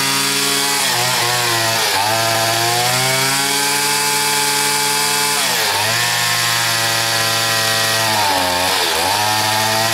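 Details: Stihl FS80 trimmer after a carburetor rebuild and ultrasonic cleaning, with the low-speed screw set around 4–8 turns out. The two-stroke buzz sags and dips rather than holding steady at full throttle, a bog showing the trimmer is short of top-end power.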